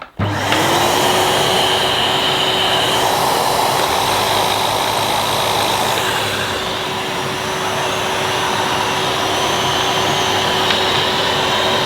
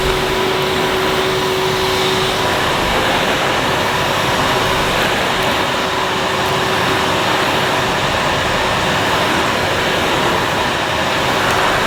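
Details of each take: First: 2005 Numatic Edward Turbo vacuum with turbo electric head: steady motor hum with fixed whine, but the head's deeper whirr drops out partway; intermittent cut-out, owner suspects a loose connection in the head or switch. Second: 2005 Numatic Edward Turbo vacuum with turbo electric head on carpet, vent closed: soft, steady, even hiss with a faint tone early on, no rattles or surges; very quiet, healthy running.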